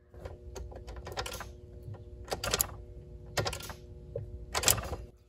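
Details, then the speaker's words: Ford Explorer with a Cummins diesel swap, fuel cutoff wire cut and grounded so the key alone controls the fuel pump relay: a few sharp, light clicks at key-on; fuel pump relay clicking normally. "hear the relay click so now on to the starting system"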